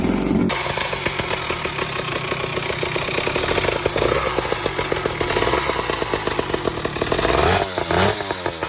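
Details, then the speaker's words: Vintage two-stroke boxer-twin motorcycle from about 70 years ago running: crisp, rapid, even firing that rises briefly near the end; healthy. "The engine sounds really interesting to me. At idle it sounds like a mix of a single cylinder and a twin cylinder engine. Under load, however, it sounds like a single cylinder engine."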